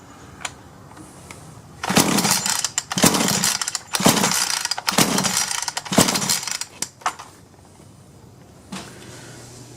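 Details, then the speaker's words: Solo 643IP chainsaw pull-started with half choke, primer bulb pumped: rasping pulls bring only a couple of brief pops before it dies. Worn piston ring/low compression suspected, unconfirmed. "I think it's getting gas but even when I put gas directly into it that's like it tried for a couple of times but that was it so I think it needs a piston ring"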